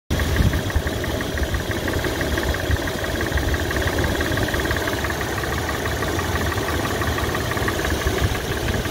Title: 1grfe sound knock tick tap noise lifter cam tappet bearing fj Tacoma